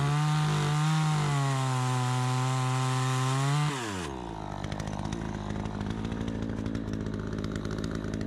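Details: Troy-Bilt 20-inch chainsaw, bought new, after carburetor adjustment: high clean scream drops smoothly in pitch as the chain bites into wood, holding strong steady speed; runs like a new saw, owner may tune for more RPM; normal running under load.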